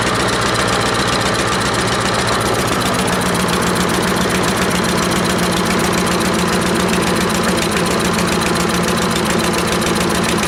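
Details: Troy-Bilt 12AV566N011 mower after cleaning the carburetor bowl and main jet: small single-cylinder firing at a fast, even, steady beat with no misses or surging; running cleanly.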